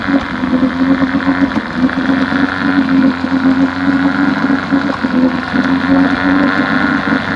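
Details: 1971 Johnson 9.5 HP outboard after carb cleaning; previously wouldn't stay running without choke; morning test run, steady buzzing two-stroke note, even speed without surging or dying; normal running.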